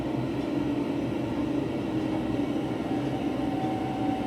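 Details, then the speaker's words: Wall-mounted gas boiler at maximum power in hot-water mode: a steady high whistle over the burner's roar, absent at maximum power in heating mode; the whistle appears only in hot-water mode. "вот работает сейчас на максимуме по горячей воде"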